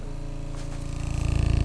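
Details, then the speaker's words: Klipsch ProMedia subwoofer, 28 Hz tone at high volume: deep low tone with rough pulsing flutter growing each cycle; one side of the cone flaps, cone slapping against caved-in grille. "Cone. Listen to that. It's clean on this side. This side is flapping. This cone is done."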